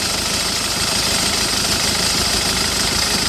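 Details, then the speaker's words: 2008 Citroën Nemo diesel van idles unevenly with clatter and irregular shake under a steady hiss after a no-start fix; blamed on excess fluid residue in the combustion chamber, expected to smooth once dry. "So the engine starting, but it's still shaking because there are some residue on the combustion chamber. That is too much fluid on the combustion chamber."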